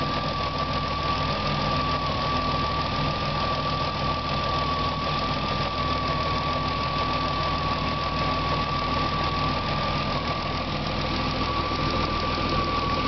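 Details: BMW E36 M3 S50B30 inline-six idling and revved lightly, a steady high-pitched whine riding over an even run; owner asks whether VANOS or timing chain is the cause, unconfirmed.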